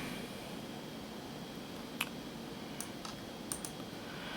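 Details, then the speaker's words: Macintosh PowerBook 170/180 hard drive running System 7: sharp irregular clicks over faint whir as heads park automatically before every seek; annoying but drive works. "This one parks automatically before seek attempts, so it gets a little annoying. It does work though. You can hear it parking."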